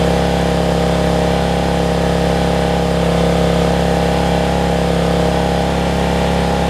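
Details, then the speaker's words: Generac 7500EXL generator that shut down after 3-5 seconds, running with the faulty low oil sensor switch unplugged; steady even drone at noticeably high pitch, no hunting, governed speed set too high before throttle speed was slowed down. Engine overspeed. "that's what it is it's that switch kind of sounds like it's running a little fast to me"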